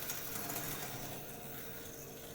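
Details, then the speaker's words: Graham Farish N gauge Class 4F after fitting 8x16mm 12V 13500rpm coreless motor, ungreased: soft even whirr with faint track clicks, no growl or rattle; much quieter than the old motor, runs smoothly. "So, in this case, win for Coreless. Much quieter too, actually. There's no grease on it."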